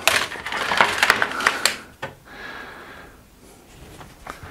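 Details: Restored Amiga 500 after disk drive servicing, trying to read a disk: irregular rattling clicks and scraping about three per second, then faint hiss as the head seeks; drive failing to read, owner hopes the disk is just bad.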